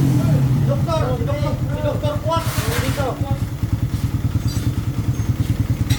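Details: Motorcycle idling after a recent clutch lining and spring replacement, noisy since the day before: a quick, uneven metallic rattle at roughly three per second from the middle of the engine, pointing to a broken balancer gear.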